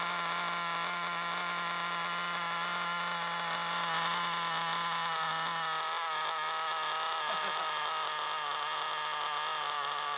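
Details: Used FTX Carnage nitro RC car after failure: high buzzy note with raspy uneven edge at steady throttle; large exhaust leak at top of manifold, finger over exhaust changed nothing; exhaust to be resealed.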